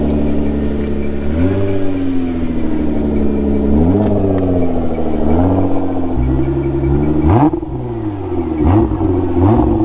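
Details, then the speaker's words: Salvage car at an insurance auto auction: smooth idle with quick throttle blips rising and falling cleanly, no misfire or knock. Transmission tested driving forward and back, and it has power. "okay the headlights work just drive a foot forward and back because i want to make sure transmission works [Music] this thing's got power"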